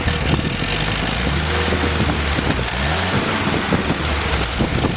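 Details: Rebuilt Willys F134 engine's first start and break-in on a test stand with no transmission. Pressure-lubed with 30-weight break-in oil, new Pertronix distributor, coil and starter. Strong, steady roar with an even drone and no misses or knocks: running normally.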